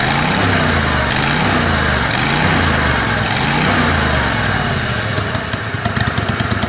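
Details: Kohler Command Pro 27hp lawn mower V-twin after head gasket repair, muffler baffle removed (possibly part of gasket failure): loud raspy open exhaust, steady and even, no misses or knocks; normal running.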